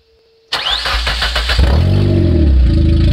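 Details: 1994 Nissan Sentra four-cylinder started and revved with the exhaust removed after an exhaust leak was found at the catalytic converter heat shield: loud, raw, unmuffled blat, sounds pretty good for a four banger.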